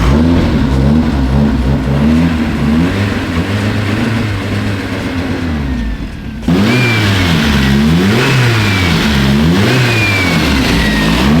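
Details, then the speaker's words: Crisp, even revving with clean throttle blips and no knocks or misses from a freshly swapped Nissan KA engine on its first test drive, just after a timing adjustment; sounds right. "It sounds sick. It sounds really good. She definitely a KA though. Yeah. Definitely a KA. It sounds really good. It sounds right."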